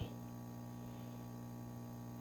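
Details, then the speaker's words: Magnum MS2012 inverter on a 12 V lithium bank, under load. Its tone changes from pulsing to a constant, low, steady buzz. AC output reads only 50.3 V from each hot to neutral, so output is low with good DC in; cause unknown. "the tone of the inverter has changed it's a constant buzzing now instead of dit dit dit dit dit it's Dean"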